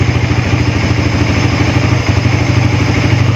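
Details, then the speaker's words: Suzuki Raider FI 150 after an ECU reset: a steady, even single-cylinder putter with no misses, idling cleanly. If the idle gauge drops to about 3 after the reset, it can be adjusted at the idle screw. "kung nag-reset kayo and then nagbago yung ano dyan, nagbago tong gauge ng nyo, idle nyo, naging 3 na lang, pwede pa kayo mag-adjust doon sa minor."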